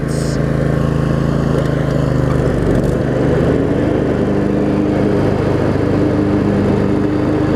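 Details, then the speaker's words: Craftsman riding mower, Briggs & Stratton V-twin, after shift hub repair, started on choke and driving: steady even low throb holding speed, no missing or knocking; running pretty good. "it's actually running pretty good here still turning"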